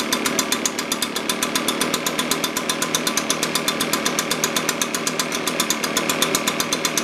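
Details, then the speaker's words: Echo PB-580T leaf blower two-stroke that bogged on throttle with a vacuum leak, after carburetor low-speed adjustment: steady idle with an even, rapid popping beat and bright buzz, still slightly rich. "okay very happy with that so just a little a little rich it's tightening it up a little bit"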